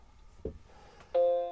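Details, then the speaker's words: Macintosh Classic II at power-on after the sound chip was replaced from a donor logic board and the pads were cleaned. A brief click, then a clean sustained chord rings and fades; the startup chime now works normally. "Did you hear that? That was an actual dong. Looks like the sound is actually working now."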